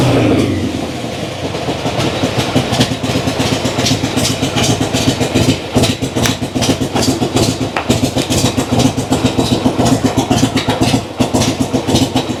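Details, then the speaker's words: Old kick-start V-twin just after a cold start, idle knob not turned up, not yet at operating temperature: settles into a loping, lumpy idle with a steady beat; running fine. "When it's cold, I can turn my idle up, and when I kick and it starts to sputter, it'll catch."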